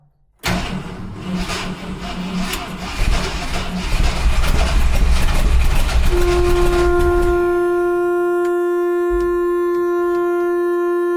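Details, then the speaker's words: 1971 Ford F100 big-block V8 on makeshift battery cables: rough cranking, then a steady unbroken horn note holds; horn stuck on, a makeshift cable possibly contacting the horn, suspected not confirmed. "My horn's stuck on. Give me a sec."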